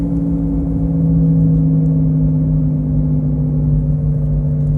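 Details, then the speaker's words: 2014 Chevrolet Cobalt at highway speed: steady low drone over road noise from a worn wheel hub bearing, damaged when a shop hammered the brake disc out. "а так у меня сейчас Chevrolet Cobalt 2014 год пробег гудит ступичный подшипник вот продолжать снимать видео сейчас наберу 80 и пропадет этот звук"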